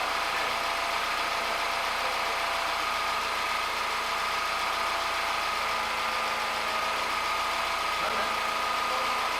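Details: Peugeot 207cc engine after the timing slipped and was reset: steady, even idle with a smooth hum and a faint high whine; no knocks or misses, engine sounds healthy.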